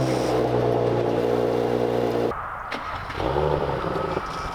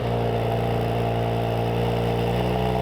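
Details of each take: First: Audi B9 S4 3.0L V6 TFSI on cold start: loose, uneven rattle over exhaust note from active exhaust valves flapping inside piping, with fault codes P0477, P0475, P049F; likely weak or broken actuator spring, fixed with updated Mopar spring. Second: Audi B9 S4 3.0L V6 TFSI after fitting stronger Mopar springs to the active exhaust valve actuators (previously rattling, codes P0477/P0475/P049F): steady even idle, no rattle, codes not returned; slight cold-start buzzing still heard.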